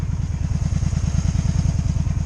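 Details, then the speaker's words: 2002 Honda Magna VF750C V4 during a rebuild, warm and idling in neutral. A steady, even low thump with no misses or mechanical clatter. It died last time when put in gear. Normal warm idle. "Alright, I think it's warm enough. We're about to find out. It runs good whenever I don't put it in gear."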